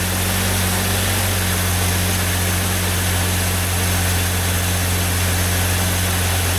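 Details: 2001 Jeep Grand Cherokee 4.0 I6 towed in with crank/no-start and P0320 code: steady, even idle hum with no misses, knocks or surging.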